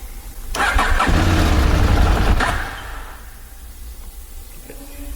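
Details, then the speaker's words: KTM motorcycle, cold engine: hard start recurring after a spark plug change that fixed it for two days; fuel confirmed good, engine light on with P0130 O2 sensor code. Two seconds of rough, labouring cranking, then quiet lumpy idle; owner suspects oxygen sensor. "The bike feels a lot better, but it's gone back to doing its hard start problem. So obviously it's cold. I'm gonna try to fire it up."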